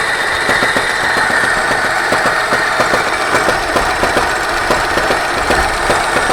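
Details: 24D engine with sharp metallic knocks repeating steadily, a few per second, over a busy idle; a clear internal knock, source not yet pinned down.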